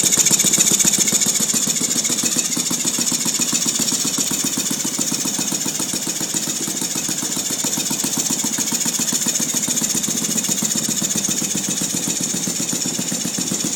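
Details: Saito FG-36 small engine running with a buzzy, rattly clatter mixed into its firing, steady throughout; abnormal noise of unclear cause.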